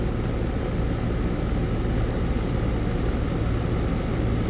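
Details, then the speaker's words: AC condensing unit running normally after a bad dual run capacitor was replaced (universal Turbo 2000) on a no-cooling call: steady low hum, even mains-pitched drone and fan rush, no clicking or cycling. Compressor had overheated (113–117 °F); it now draws about 10 A, the condenser fan about 1 A. "so now put the one back on but yeah she's running I know you hear the compressor"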